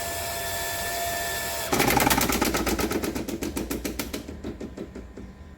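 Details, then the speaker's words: Home water supply with a booster pump feeding a pipe manifold from a rooftop tank: steady pump hum, then a bang and fast rattling knocks that fade as a tap shuts suddenly; water hammer vibrating all manifold pipes. "Itu saya bantu dengan pompa supaya dia tekanannya kuat, tapi kelemahannya ada begitu keran air tiba-tiba ditutup, ya akan ada tekanan balik yang dinamakan water hammering yang tadi saya perlihatkan. Ada getaran di semua pipa-pipa yang ada di manifold ini ya."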